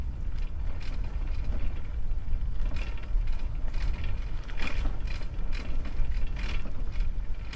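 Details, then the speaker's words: Crashed old Sparta Apollo bicycle with Shimano 3-speed hub ridden on a rough mud road: irregular tinny clattering over wind rumble from the front mudguard; front mudguard rattle. "And now you will definitely hear that front mudguard rattling."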